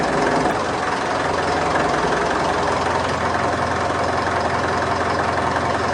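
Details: Mitsubishi Triton 4D56 diesel with cold-morning hard starting, idling during alternator load test with headlights on: steady clatter, no stumble, charging normal at 14.14 V loaded and unloaded; normal idle, starter, alternator and battery appear okay.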